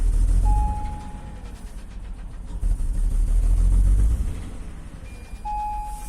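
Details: Acura MDX engine: a regular light tapping at about four per second over a deep engine rumble; an engine knock whose cause is not pinned down.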